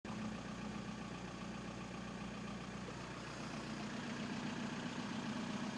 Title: 1999 VW Bora/Jetta AJM 1.9 TDI 85kw bad injectors